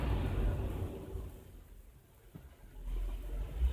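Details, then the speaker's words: 2001 Toyota LandCruiser VX with the 4.7 L petrol V8, coil-on-plug and drive-by-wire, which had gone into fail-safe with no throttle response. After the fix the rumble climbs cleanly as the throttle opens, no stumble. Normal throttle response. "engine is responding you hear that"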